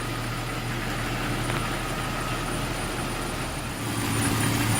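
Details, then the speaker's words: 2001 Jeep Cherokee at a quiet, even idle with a steady high thin whistle; spraying water on the vacuum line changes the noise, and covering the spot with a finger stops it. Cause is a leaking vacuum line. "I'll show you what I mean by spraying water and hearing the difference yep that was my problem"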